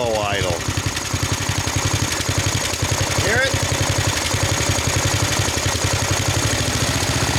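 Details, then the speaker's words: 1999 Snapper riding mower, 28-inch cut, 10 hp Briggs, first run of the season: slow, lazy single-cylinder thumping barely staying lit; idle speed really low, owner may adjust it or fit a different carb. "Yeah, we could adjust That's that. That's it. Really low"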